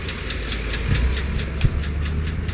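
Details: Chevy Silverado / GMC Sierra 5.3 V8 at idle with a light, sharp lifter tick of about four to five a second over a steady idle. It comes and goes, and oil pressure is good. A new O-ring solved it.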